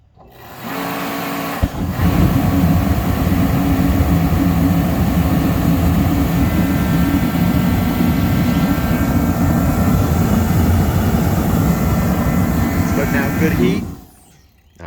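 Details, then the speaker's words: Reddy kerosene torpedo heater, not run for about 6 months: fan and flame roar evenly about twelve seconds, then cut out abruptly; classic sign of a bad flame-sensing photocell. "there it went, it turned off. So we heard the fan come on, we heard the flame ignite, but after a few seconds it turned off. So this is classic telltale sign of a photocell that's bad."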